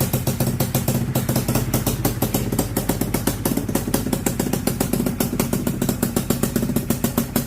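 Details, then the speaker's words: Honda FL250 single-cylinder, ice cold start with fresh fuel and battery: crisp, even putt-putt firing at steady idle, no misses or rattles; normal cold start idle, running fantastic. "Running fantastic."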